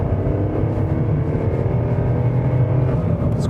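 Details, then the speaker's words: Volkswagen Polo hatchback (2009–2014), entry-level 1.2 three-cylinder petrol, accelerating: steady low, gruff drone with a coarse rattly edge, almost diesel-like; noisy, spoils refinement, but normal for this engine. "Now, if I accelerate, you'll hear that it makes a noise like a diesel almost."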